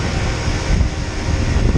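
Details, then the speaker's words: Package HVAC unit with contactors and condenser fans in override: voltage on all three circuits but no compressor amps; low steady hum as it strains but won't kick over; not grounded, no tripped breaker; locked, failed compressor. "I still don't have any amps coming from it. And I have voltage on all 3 circuits, but no amps. See, I can hear it trying to run, but"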